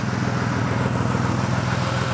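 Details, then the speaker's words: Ford Falcon drift car at steady idle with the tailpipe briefly blocked by a rag: a quick, even puffing pulse as exhaust gas chuffs out at a leaking exhaust gasket. "it's not a big job to change that gasket anyway so I think we'll just do it"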